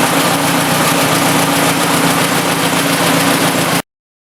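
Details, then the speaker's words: 1956 Ford NAA tractor, 134ci four-cylinder, after converting from points to Pertronix 1244A electronic ignition: steady, even engine beat, no misses or knocks, smooth rhythm; peppier than in years, running like a sewing machine. "I can tell it's peppier than it has been in years. It's running like a sewing machine."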